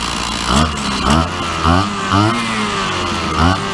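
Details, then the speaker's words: Petrol two-stroke grass trimmer just restarted after carburettor work, warming up: buzz surges up and down about twice a second, then settles into an even run; normal warm-up running. "There you go. What's happening? Got to let it warm up."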